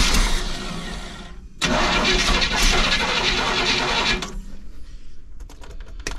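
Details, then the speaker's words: Motorhome engine after sitting over 10 years, gas poured into the carburetor: a few cranks, catches and runs roughly about two and a half seconds before dying; ignition fine, fuel supply missing. "we'll give her a few pumps we'll see if she starts whoa there you have it she's a runner oh i have to [ __ ] my face though but she's a runner guys let's see if she starts up again"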